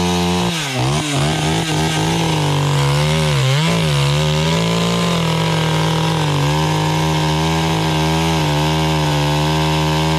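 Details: Stihl 031 AV chainsaw (about 1974–76), carb cleaned after about 5 years unused; full-throttle two-stroke scream sagging slightly as the chain bites sassafras firewood and recovering cleanly; strong, even, normal running under cutting load.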